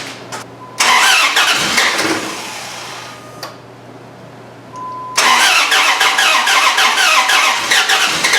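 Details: Dodge Ram 1500 with replacement 4.7 HO engine from an 03/04 Jeep Grand Cherokee and mismatched JTEC ECM: started, stalled, restarted into an uneven idle with a steady tick-rattle about three a second; oil pressure came up; rough running, cause unknown.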